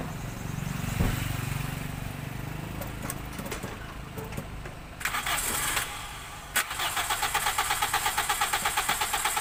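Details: Toyota Soluna, after a no-start with no spark at the plug, traced to a failed EFI relay; after replacing the relay it cranks briefly, catches cleanly and settles into a steady even idle, normal start.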